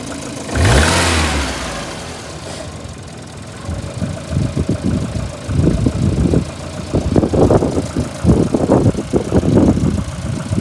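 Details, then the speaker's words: VAZ 2115 8-valve engine, a week after a cylinder-one head gasket failure, new antifreeze and oil: the engine fires, then runs in uneven bursts with a low scuffing rub, sound changing once warm, plus jerks while driving; rubbing noise, source not found. "Звук какой-то идет. Как будто терется что-то."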